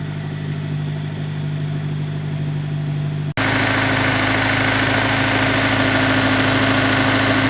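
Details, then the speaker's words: Honda S2000 at idle after installing a Ballade Sports timing chain tensioner and VTEC solenoid gasket: smooth, steady idle with an even low hum, no ticking or chain rattle, much quieter and less sticky than before; healthy. "I can already hear a difference the TCT is doing its job sounds much quieter much less sticky again"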